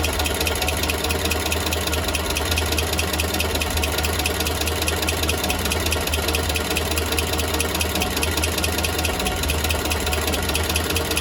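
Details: Engine at steady idle after an exhaust leak was fixed: fast dense ticking chatter over the engine note, unchanged throughout; abnormal idle noise, source unclear.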